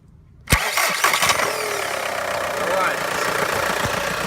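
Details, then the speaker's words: 2000 Volkswagen Jetta with no-crank no-start, in neutral with handbrake on, starter jumped directly with 12 volts from battery positive: short brisk crank about a second, engine catches and settles to steady idle; starter is good. "we definitely know it's not a starter problem the start of is good we won't be replacing a starter"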